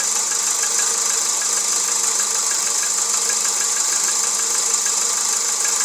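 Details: Volkswagen Jetta 1.6 engine at idle: light, uneven tapping about twice a second over a thin, hissy idle; an engine knock, cause not yet pinned down.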